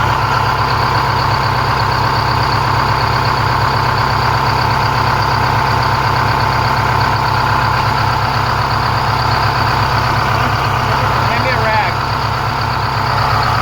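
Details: 4106 bus diesel after Allison V730 transmission swap, in shop: steady low idle, even beat about three pulses a second, no stumbling; normal clean idle.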